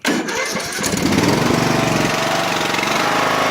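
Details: Craftsman LT1000 riding mower engine started on choke; catches at once and settles into a steady, even small-engine run with no misses, knocks or rattles, healthy.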